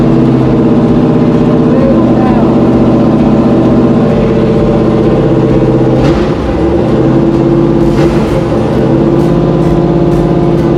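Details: 6.2 LS V8 swapped square-body crawler on a Holley Terminator X, first run while warming up: loud idle that wavers and sags, struggling to hold steady. Unstable idle; it needs to get close to idling and then relearn.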